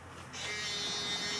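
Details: Truguard electronic deadbolt with keypad beeps muted, code 222333 entered: steady high-pitched motor whir for about a second and a half with no beeps; the bolt motor runs normally.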